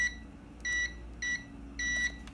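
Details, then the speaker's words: Kärcher WD 1 vacuum cleaner that won't switch on: continuity tester beeps in short on-off bursts, about three in two seconds, as pressure on the terminal changes; loose connection at the wire terminal, to be resoldered. "lo estoy pegando y por momentos hace contacto y por momentos no eso quiere decir que aún tiene un fallo"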